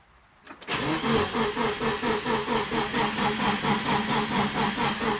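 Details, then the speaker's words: Freshly rebuilt turbo Subaru Forester boxer engine, first start, cranking with injectors disabled to build oil pressure: starter turns the engine over evenly, about two pulses a second, no firing; a normal priming crank. "let's crank it over build some oil pressure all right top one here it's oil pressure injectors are disabled"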